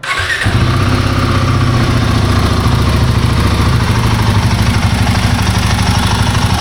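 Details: Himalayan 450 Sherpa engine starting and settling into idle: light fast chattering rattle over the thump, timing chain noise.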